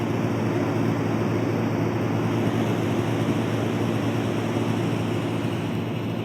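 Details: LectroFan Micro white noise machine on its lower-frequency white noise settings: steady low rumble with a faint constant buzz from the speaker; buzzing defect.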